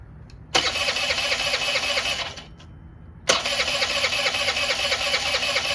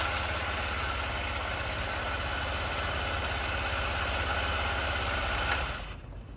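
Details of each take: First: Honda Elite 80 (CH80) scooter, long-sitting: catches and buzzes about two seconds, dies, restarts, no throttle response; stalling, cause unclear (owner suspects a choke). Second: Honda Elite 80 (CH80) scooter after carb cleaning and diaphragm soak: steady even idle, no misses or surging, then shut off; running normally.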